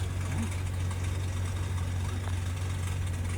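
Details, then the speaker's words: 2018 Honda, 190,000 miles, smoking: deep steady idle hum with a faint loose rattle on top; idle not normal, turbo suspected of rattling, not confirmed. "It's like I hear the turbo rattling around or something."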